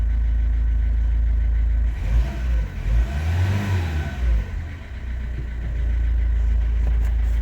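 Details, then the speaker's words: Audi diesel for sale, just after timing belt change, with new oil and filter: idle rises smoothly on a throttle blip and settles back cleanly, no hesitation or rattles, no smoke; engine runs well. "нічого не димить не чадить моторчик робе гарно"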